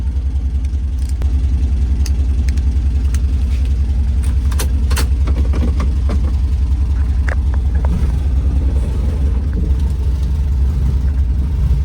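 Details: 1967 VW Type 3 Squareback, first drive after engine install, pulling under acceleration: steady low rumble with a deep, even beat and no knocks or misses; runs as expected and feels more powerful, healthy engine.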